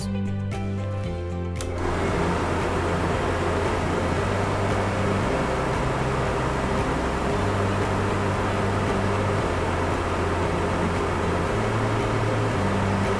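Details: RV Suburban furnace test run after diagnosis and motor replacement: quick run of sharp igniter clicks, then steady even blower hum under background music; ignition achieved, running normally.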